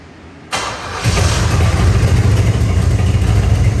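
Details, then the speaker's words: Third-gen Camaro Z28 with 305 H.O., after fuel system overhaul: short starter whir, then it catches into a lumpy, uneven idle. It only runs on fuel poured into the carburetor; the gravity feed line isn't delivering, indicating a fuel delivery issue. "So, it's clearly starting. It clearly seems like a fuel delivery issue when I'm able to get it to start and run for any decent amount of time."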